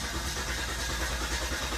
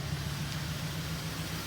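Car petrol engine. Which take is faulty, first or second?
first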